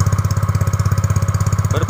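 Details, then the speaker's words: Yamaha Mio GT automatic scooter after idle adjustment: even putter about fourteen beats a second, raspy split exhaust, idle low and steady, rear wheel not spinning; normal idle. "lagu2 perhatikan guys bangsatnya menurunkan guys Coba lihat roda belakang"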